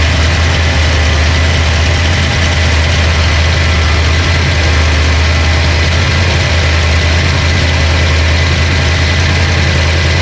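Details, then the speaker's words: Ford Mustang 302 HO small-block V8 budget build after flooding (stuck carburetor needle and seat, fuel pump left on); now running way more happy: deep, steady, even idle rumble with no top-end ticking, healthy. "the motor it's way more happy you can see we have to clean up a lot of crap all over the place but when you hear it this time it's gonna be right"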